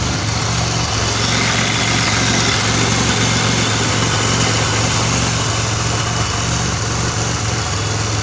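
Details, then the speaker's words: 2007 Pontiac Grand Prix GT, cold start after the fuel pump relay and spark plugs were replaced: smooth steady idle with an even low hum and audible cam, no misses; a small exhaust leak near the rear manifold is suspected. "Cold start. It's really not super loud though. Excuse me, Luna. Sounds a lot better."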